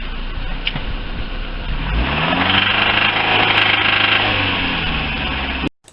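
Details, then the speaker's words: Lifan car engine after additive treatment (about 30 minutes running): revs smoothly from idle, pitch climbing evenly, metallic knocking gone; compression rose, idle smoke disappeared; healthy. "после обработки присадками металлические звуки и шумы исчезли компрессия повысилась дымность уменьшилась"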